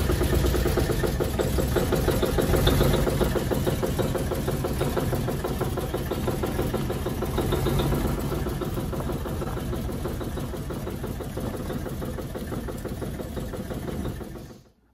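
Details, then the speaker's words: 1953 Chevy truck engine, first drive in 40 years after tune-up, new fuel pump, radiator and water pump: steady rhythmic knock about three a second; owner says it knocks badly in gear as rpm pulls down, not in neutral. Engine knock under load. "when i put it down in gear it seems like it gets a really bad knock on there but you know not out of gear it doesn't it's like when it pulls down the rpms and it's just like you know got that sounds like a knock"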